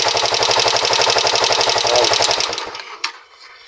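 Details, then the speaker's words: Rusi 125 single-cylinder motorcycle, partly disassembled and running on a little added fuel, idling: fast sharp tapping from the cylinder head, valve noise from excessive clearance; fix planned as a tune-up. "Ayan oh naririnig yan yan yung maingay na yan lumalagat siya mga ka"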